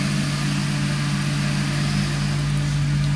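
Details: Indesit ISDP 429 Autopump spin dryer, made by Hajdu in Hungary, at full spin: a constant low drone, even and unwavering, no grinding, knocking or rubbing, not as loud as the remembered Creda; the drum spins smoothly.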